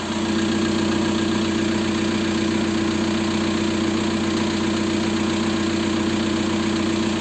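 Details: 1.9 TDI diesel (ALH/AGR/ASV/AHF) at idle after an oil change: steady clatter with a light repeating tick from worn hydraulic lifters and piston slap. Rings likely burned by infrequent 30,000 km oil changes. Replacing the lifters almost cured the knock.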